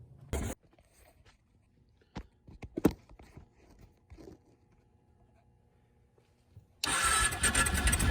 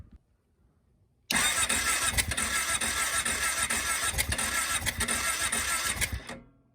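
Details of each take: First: Kawasaki KFX 700 V-twin ATV after rear-cylinder valve adjustment with front spark plug refitted: a few quiet clicks, then it fires right up into a strong, even run with a rev blip, no valve tick; normal running. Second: Kawasaki KFX 700 V-twin ATV cranking about five seconds with uneven pulses that never catch; has fuel and spark, backfired through the carburetor; owner suspects valves out of spec; no-start.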